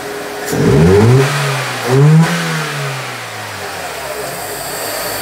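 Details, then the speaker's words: 2000 K11 Nissan Micra Sport, about 85,000 miles, stored 10 years, fresh fuel, airbox off: after a blip the revs drop, then idle rises and sags unevenly; surging idle from a faulty, seized idle control valve on the throttle body. "ah there's the surging have to go back to the book it sounds da is it going to make a difference that the airbox isn't on"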